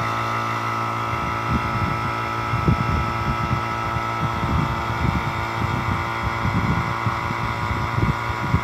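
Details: Steady motor hum with constant pitch and soft uneven low thumping; vacuum pump connected via analog manifold to compressor service valve, just switched on with Elson digital vacuum gauge reading 30,000 microns and dropping; running normally.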